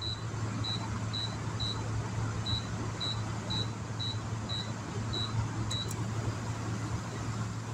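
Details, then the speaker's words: Air conditioner (378 run watts, 1691 starting watts) run from a small Alffa inverter on two recovered LiFePO4 batteries: steady low compressor hum under short high chirps. The compressor is operating normally. "it takes that much power to start this air conditioner that's the compressor running in it"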